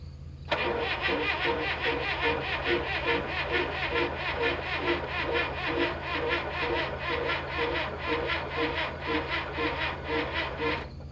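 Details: Late-1960s/early-1970s Clark (Michigan) 35 AWS all-terrain forklift with a Perkins diesel, cranked after adding fuel: slow, labored cranking at about two strokes a second for ten seconds without catching. Cranks but won't start; later some injectors showed no fuel and the batteries needed charging.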